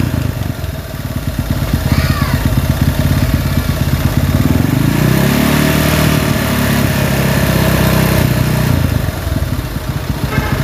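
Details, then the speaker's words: Honda CG motorcycle engine: rough uneven idle rising into shaky held rev with coarse vibrating drone, grip vibrates when revved; engine has a problem, cause unknown, crankshaft condition uncertain. "dan ini adalah suaranya apabila jelas dengan suaranya maklum diakan bisa jadi H alam intinya motor ini bermasalah"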